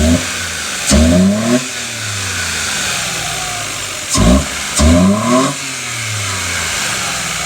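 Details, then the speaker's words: 2017 Mitsubishi Mirage three-cylinder with 3D-printed MAF adapter intake, filter behind the headlight and heat-wrapped manifold, belt checked: sharp, throaty, loud blips falling cleanly back to steady idle, no knocks or belt squeal; normal revving. "That's very throaty for a 3-cylinder. Yeah. Belt looks perfect. That is gnarly how loud that is."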